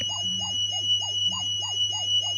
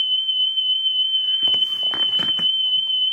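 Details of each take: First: National Panasonic RS-612 cassette deck, circa 1978, before service, playing a 3000 Hz test tone through headphone output: steady tone wobbling in pitch several times a second; very bad wow and flutter and speed problems. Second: About 1978 National Panasonic RS-612 stereo cassette deck, playing a test tape after service and reassembly, output only on the right channel: clean, steady high tone near 3 kHz holds without wavering, then handling clatter; stable tape speed.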